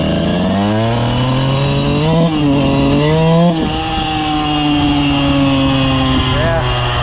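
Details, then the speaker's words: 2000 Suzuki RM125 two-stroke after carb cleaning and tuning, pulling off easy in first and second: revs surge unevenly and bog with mid-throttle hesitation. Needle already raised; owner plans to downsize the jets. "ah but yeah she still got some hesitation to her um a mid throttle so right there uh I don't want to go up too much more on the needle so I'll probably downsize the Jets but you'll hear it I'll take off easy in first and second you'll you'll hear it kind of bogging out"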